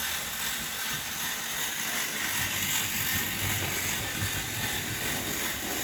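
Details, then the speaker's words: Lego train with working lights running on a track layout: constant light whir with a soft track rattle and no stumbles or speed surges; the motor runs smoothly and well. "But yeah, it runs really well."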